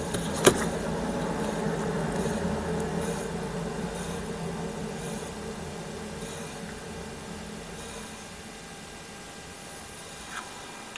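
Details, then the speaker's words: Hand-spun wheel: gritty rumble with a rhythmic swish each turn as it coasts down, indicating a worn bearing; the other side spins quietly and its bearing needs no replacement. "Jadi kau orang dengar eh bunyi bila saya putar tayar ni."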